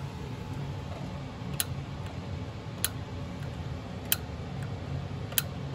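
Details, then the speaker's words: Fuel shut-off solenoid on the Kohler Command engine of a John Deere L110 that misses and pops, with the key cycled on and off. Crisp single clicks about every 1.25 seconds show the solenoid works and is not the fault. "okay i think you guys probably heard that and what that is is it's actually working okay so that's not our issue"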